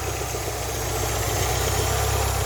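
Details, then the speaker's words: Ford Fiesta Mk3, hot after a 2-mile first drive, bonnet open: slightly lumpy, uneven idle that dropped and nearly stalled; owner suspects mixture slightly weak. "good to make a slight correction there because the idle was dropping in fact um the car sound as if it was going to stall for a second when I switched the camera off"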